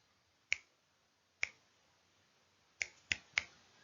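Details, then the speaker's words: Geiger counter in a quiet room: sparse random sharp clicks, about five in four seconds with uneven gaps, an ordinary background radiation count from cosmic and earth sources. "and it will click randomly and the reason why it's clicking randomly is because we've always got some background radiation there's always something that is radioactive around"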